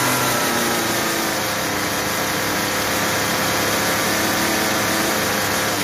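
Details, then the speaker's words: Troy-Bilt TB32EC two-stroke trimmer after carburetor idle adjustment: steady, even buzz with no sputter or dying, head stops at idle without stalling and does not die on trigger; fixed. "so that's pretty close we want our head to stop when we stop giving giving it the gas and then we want it to idle but not stall but not too fast and then when we give it the trigger we don't want it to die out"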